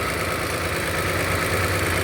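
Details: Uneven low-end idle beat with dropped pulses instead of a smooth hum; scan tool reports cylinder misfire.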